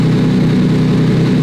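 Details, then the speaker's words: Lamborghini Aventador V12 just started on new battery with charger attached, oil pressure good, car with hidden frame damage and poor previous repairs; lumpy, pulsing uneven idle instead of smooth V12 hum; misfire, owner suspects cylinder head or bottom-end trouble. "it's running a little lumpy I don't know if you guys can hear that see a B12 should be really really really smooth"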